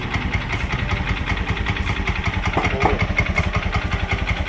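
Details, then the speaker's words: Honda Beat scooter that would not electric-start, after checking the starter motor and the modified switch: a quick, even putter at idle with a light mechanical clatter and no misfire; starter working normally again. "coba hidupkan lagi lalu di starter lagi coba lagi nah ini sudah bisa hidup teman-teman staternya sudah normal kembali ya"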